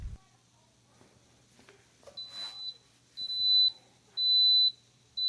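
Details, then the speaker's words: Coleman SaluSpa hot tub, heater button pressed: no pump hum at all, then long high beeps about once a second. E02 no-flow error. "notice how there's no hum at all in fact you can't hear anything whenever you press the heater button you press it hear nothing and then the error comes on"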